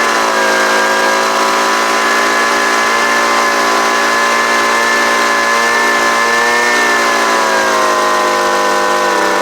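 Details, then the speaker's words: Homelite UT09250 small two-stroke after carburetor work: steady even buzzing drone at one pitch with slight dip and recovery; runs smooth and healthy, normal running. "so so that sounds pretty good right there see if it'll crank up again"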